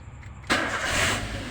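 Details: Toyota New Avanza that suddenly would not crank (battery, starter, fuse, relay normal), after repairing faulty remote-control wiring: short quiet spell, then engine catches straight away and settles to smooth steady idle; clean healthy start.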